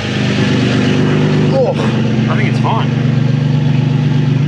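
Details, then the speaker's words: Nissan 350Z with repaired Tomei titanium exhaust, revved after the fix: strong steady drone with no hiss or puffing from the joints. A slight burble on let-off is blamed on back pressure. Normal, sealed exhaust note. "Sounds good. I kind of hear it. Sounds a bit queasy at the end, but that's just the end of the exhaust, yeah."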